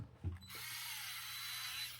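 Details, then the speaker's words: Dewalt 8V gyroscopic electric screwdriver, forward on the lowest setting (one): the high motor whir sags and strains for about two seconds as the bit is held back by hand. The motor bogs down under load, and reverse cannot be stopped this way. "I wonder in this way if I can hold it back and I grabbed it and I can make that that's bog"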